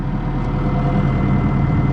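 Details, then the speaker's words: Diesel 160 excavator idling: smooth unchanging low idle, no knocks, grinding or pump whine; sight glass stable, passing more oil, owner hopes clogged filters were the cause. "i didn't hear the pumps whining as much so the fact that when i first fired it up and it dropped the sight glass that far and it's never really varied on the sight glass is telling me that it's it's passing a lot more oil"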